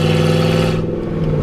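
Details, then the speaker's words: Ranger with freshly rebuilt engine driving under load while seating rings; strong oil pressure, temp gauge about 230 but doubted; strong, even steady low drone, no knocks or ticks; sounds healthy. "but it seems to be running pretty good and strong oil pressure is good temps not getting too high"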